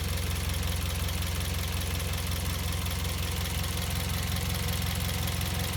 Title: Vios Gen 2 - Loud Chirping sound coming from the engine bay